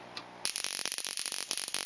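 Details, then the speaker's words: Green Solex ignition coil on a coil tester: rapid spark snaps stuttering with gaps, spark train interrupted throughout, faulty coil dropping sparks. "Voilà, pas la peine d'aller plus loin, vous entendez le massacre, le train d'étincelles est interrompu de partout."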